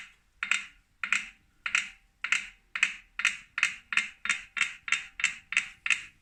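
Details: 2018 Wahoo Kickr Core bike trainer, new and defective: a sharp single click each turn, quickening from about two to nearly three per second as it spins up; owner suspects a broken axle bearing or loose magnets, not confirmed.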